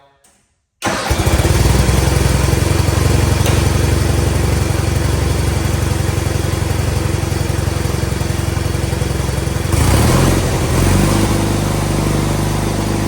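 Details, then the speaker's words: Cub Cadet 682/782/1811 garden tractor with a Kohler KT17 twin, first start of the day without choke: a loud, steady beat with a tinny buzz over the exhaust. Suspected loose, vibrating muffler end cap, or occasionally the clutch. "Um I have a rattle in the front and I believe one of the end caps in the muffler is loose and it's vibrating."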